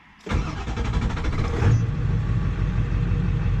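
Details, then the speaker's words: 7.3 diesel truck at 294k miles, tuned, starting just after an oil change: about 1.5 seconds of cranking, then it catches as oil pressure comes up and settles into an even, deep idle that owner says quiets after oil changes. Normal cold start. "as she sounds good it always quiets down after an oil change it's nice nice"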